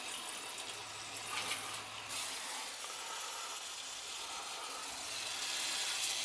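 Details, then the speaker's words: Heating system with pipe in garage ceiling leaking from rubbing, zone valves opened: soft steady hiss with faint trickling and gurgles; was holding a vacuum before, now draining normally. "Can hear it draining. It was holding a vacuum before."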